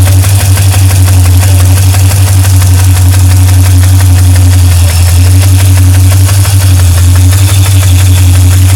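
Steady idle with a quick light tick riding over it, around three per second and keeping pace with the engine; source not pinned down.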